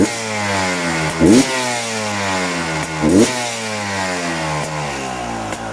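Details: Beta 300 RR 2018 two-stroke, revving up and dropping back about every two seconds with a clattery edge over the blips. Abnormal engine noise of unknown cause.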